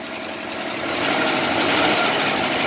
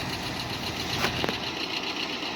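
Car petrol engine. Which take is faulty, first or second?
first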